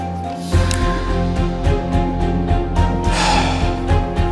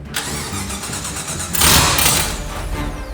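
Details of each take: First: Ford Ranger with LSX swap, first start attempt after fuel system pressurized: even starter cranking about three beats a second with no firing; power to coils and injectors but no spark, cranks no start. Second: $500 Ford Ranger with swapped LSX V8: cranks, catches cleanly, blips once, then settles into an even lumpy idle with no misfire.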